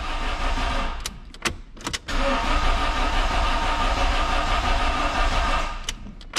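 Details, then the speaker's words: Fiat Brava parked 23 years, fresh oil, oil filter and fuel, cranked on tank fuel: starter churns about three seconds without catching; runs on gasoline poured in directly, so the engine is fine and the fault is the pump or injectors. "alguma coisa já funcionou o motor tá bom o problema é bomba ou bico agora a gente vai ter que descobrir Tomara que seja bomba"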